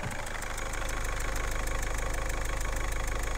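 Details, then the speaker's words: Peugeot 207 1.4 HDi diesel idling, after EGR valve cleaning for codes P0489/P1152: steady even puff about two and a half per second over the clatter; suspected leaking injector seal, with diesel smell in cabin; unconfirmed. "there's a chuffing noise or a a puffing nose or pepper so we think one of the injector seals is away"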